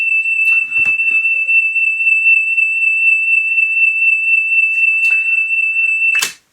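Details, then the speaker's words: 1983 Pioneer CT-540 cassette deck under repair: steady high test tone with a slow, uneven waver in loudness; wow and flutter from the motor drive belt wandering on the shaped motor pulley. "But it is just moving slightly more than I'd like. So yeah, we'll so again you can hear the whoa, whoa, whoa, whoa, whoa, whoa, whoa, whoa, whoa."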